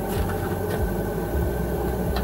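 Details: Chinese Webasto-type diesel heater in a van, powered through a 2.5 mm² cable of about ten metres to the battery and set to 22°C: steady, even low hum and whirr as it fires, with no stumbling; it starts normally.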